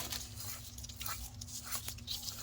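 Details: 2006 Chevy Cobalt old wheel bearing, removed and spun by hand: rough gritty grinding crunch, separated inside, versus a silent new bearing; fixed by bearing replacement.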